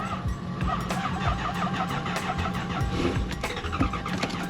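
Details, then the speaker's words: Lexus LS400 with a failed fuel pump relay, so no fuel is delivered; the engine cranks and catches in ragged, uneven bursts that die away, firing only on starting fluid, with spark confirmed. "oh I love when it's something simple but really expensive in this case 75 dollar fuel pump relay"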